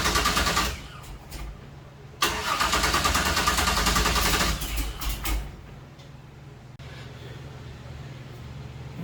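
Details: 1966 Chevy Nova wagon with a supposedly rebuilt 327 small block, battery at 9 V while cranking: long stretches of rhythmic cranking, about three turns a second, with no catch. It cranks but won't start; the owner suspects no fuel, possibly vapor lock or a bad fuel pump.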